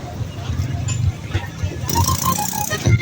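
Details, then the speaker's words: Suzuki Mehran car amplifier playing music: sound breaks into heavy dug-dug thumping about three times a second instead of clean bass. The remote turn-on feed current is blinking while the main feed stays steady; a weak turn-on feed causes the distortion. "तो अभी हम कोई इसके अंदर play करेंगे कोई चीज songs वगैरह तो तब भी ये उसकी आवाज फटेगी।"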